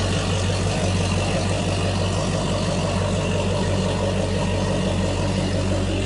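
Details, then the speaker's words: Mercury 300 Pro XS fuel-injected outboard on a 2020 Triton 216 Fishunter, just started cold with no choke or fast idle: deep steady rumble, even beat, no knocks or misses; normal cold-start idle. "So what's happening now is there's no choke or fast idle that you'd want to do with this. This is fuel injection, so you want to let the computer warm this engine up."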